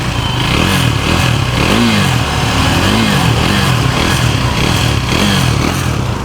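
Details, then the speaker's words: KTM Duke 390 after engine work including rings, previously noisy around 4000-5000 rpm; revs smoothly up and down with clean exhaust note, no tapping or rattle, no white smoke: normal revving. "तो बिल्कुल silent हो चुकी है। कोई आवाज नहीं है इसमें।"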